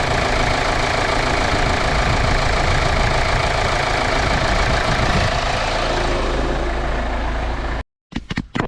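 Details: 2010 Kia Sorento 2.2 CRDI diesel, first start after replacing the alternator and refitting the power steering pump and belt: steady even idle clatter, no squeal or rattle from the belt area; charging 13.8–14.22 V. Normal idle.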